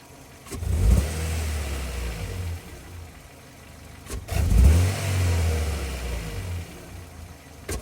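Car engine blipped twice from idle, low uneven thumping under the revs with a rough stumbling note: sounds like a misfire. Cause suspected, not confirmed.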